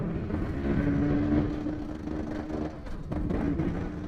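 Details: Yamaha V80 two-stroke sputters and misfires, note wavering and sagging as if starved of fuel, then stalls; runs again on choke or kick. Sputtering from a burnt ignition source coil.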